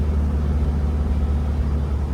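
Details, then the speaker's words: 1966 VW 11-window bus (Combi) after transmission repair, road test climbing in third gear: steady low drive rumble with no whine or growl; the previous nasty noise is gone, transaxle sounds healthy. "ah it doesn't doesn't make that nasty song uh noise anymore that's one thing I noticed [Music] it sounds really nice but we're climbing up third gear"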